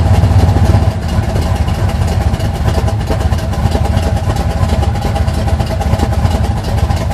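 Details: 1980 Sierra C15, junkyard L31 Vortec 350 (130k-mile pistons/rods, 9.5:1), Summit K1107 .488/.510 lift cam, Performer RPM intake, 600 Holley, Flowtech headers, Thrush turbo mufflers; cold idle: loud, choppy, uneven loping rumble with occasional throttle blips from large cam; mic clipping.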